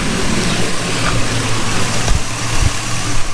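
Lumpy V8 idle with uneven, stumbling beats and an occasional heavier thump where a cylinder misses.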